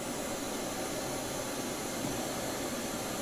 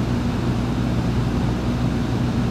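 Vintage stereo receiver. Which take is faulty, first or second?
second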